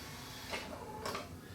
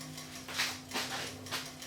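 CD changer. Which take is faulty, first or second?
second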